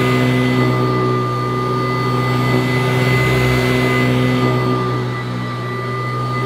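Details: Kirby Classic III vacuum cleaner, old unit at first run after unboxing, strong suction at the head: steady motor roar with a piercing high tone on top throughout, a shrill whine the owner doesn't expect from a Kirby; cause not confirmed.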